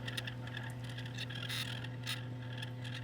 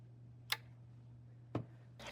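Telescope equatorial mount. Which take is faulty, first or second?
first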